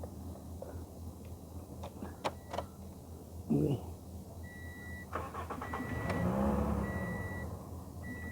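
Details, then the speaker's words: Toyota Yaris no-start with a scanner connected: chimes, a short crank, then the engine catches, swells for a second or two and dies; stalls after starting. "गाड़ी तो start हो रही बंद हो जा रही तो देखेंगे स्कैनर भी चालू है"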